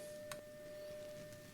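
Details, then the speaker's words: Philips BX626 tube radio, first power-up through a dim-bulb limiter, 200 mV RMS test tone into the phono input, power-tube grid capacitor replaced: a clean steady mid tone, quieter than expected, with faint hum behind it; volume pot scratchy; the audio stage passes signal. "It's a 200 millivolts RMS signal, and it's not as loud as I thought it would be."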